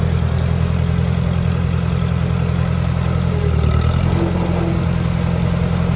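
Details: Ford 601 Workmaster 40 hp gas tractor fitted with a scraper and bucket, idling after start-up: a steady low chug at an even idle with no knocks or misses; a healthy runner.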